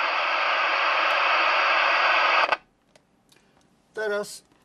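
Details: CB radio self-noise test with squelch off, full volume and antenna disconnected. Loud steady hiss that stops dead when cut: excessive receiver self-noise. Cause unconfirmed.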